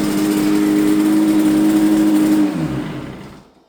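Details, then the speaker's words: Yamaha TZR250 3MA two-stroke after draining old fuel from carb bowls: crisp buzz holds steady high rev then falls away cleanly as throttle closes; engine sounds healthy. "But after spending 5 minutes draining the old fuel out the carb bowls, a beast was born."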